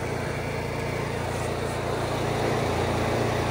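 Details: Onan 4000 watt RV QG generator running after tune-up (new air filter, carburetor, spark plug, oil), previously surging and hard starting: even steady drone, no surging or hunting; runs smoothly.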